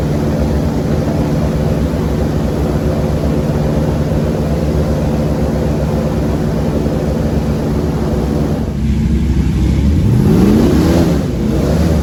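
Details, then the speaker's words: LS3 V8 airboat on the water after repairs, under load coming out of the hole where it used to act up: steady even drone with no misses or pops, pitch swinging up cleanly; running healthy again. "Get a load on her coming out of the hole. That's when it would really act up before. Oh yeah, she back."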